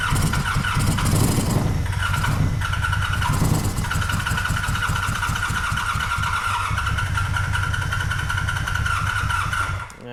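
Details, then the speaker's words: 1985 Honda VF700 Interceptor V4 hand-fed fuel: rapid cranking with firing pulses across all four cylinders, yet it never settles into an idle and dies; fuel delivery suspected, fuel line still to be traced. "Nah. All right, that ain't gonna work for us. But definitely heard it fire on all four, so very happy with that."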